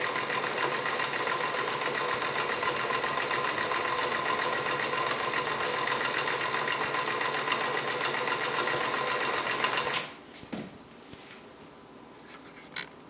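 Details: Singer 221 Featherweight sewing machine on a sturdy wood table: even, steady chatter near four stitches a second, no clunks, stopping cleanly; earlier bobbin clunking was caused by a flimsy folding table letting it vibrate; normal running.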